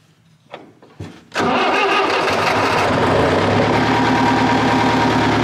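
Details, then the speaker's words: Diesel tractor starting after a new genuine Delphi CAV Thermostart plug replaced a spurious one, preheated about 30 seconds: catches after a couple of short cranks and settles into an even, steady idle knock; it starts cleanly. "so well I think that's the answer a genuine thermostat does the trick"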